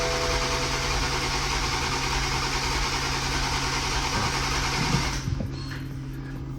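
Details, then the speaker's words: Toyota MKV Supra on its first start after an engine rebuild: the starter churns steadily at about three turns a second and never catches; crank no start, compression fine on all six cylinders. "First, it started out with a crank no start. Damone ended up pulling the spark plugs just to check the compression."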